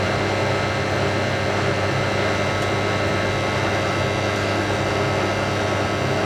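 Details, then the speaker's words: Hotpoint 9530 Electronic 1000 Plus washing machine, after repair (burnt neutral wire on mains lead replaced), final spin with twin bedding load: even, steady rushing hum at high drum speed, no thumping, knocking or rubbing; smooth, well-balanced normal spin. "All we've been waiting for, the final spin. Beats me nice and smooth. Good. That's perfect smooth. That is probably the smoothest spin this machine's ever done on YouTube."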